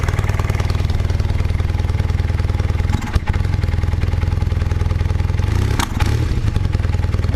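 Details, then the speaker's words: 1978 Honda CB400T II, cold, pod filters wrapped in cotton fabric: lumpy idle stumbles and sags when throttle is cracked instead of picking up, the bogging it has been doing; owner suspects excess air from pod filters and weak jetting. "doesn't like that. Yeah, that's what it's been doing."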